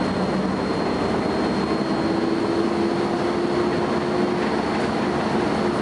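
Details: First Manchester Volvo B10BLE bus 60403 (S670SVU), recorded 30 May 2011; thin steady high-pitched whine holds constant over the low running rumble, a strange noise of unexplained source.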